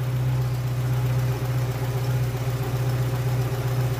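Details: Old VW Polo engine idling after engine work and refilling with 15W-40 oil, still to be run in over a few days and warmed up, oil change planned after: smooth, even, steady idle with no ticks, knocks or misses; healthy.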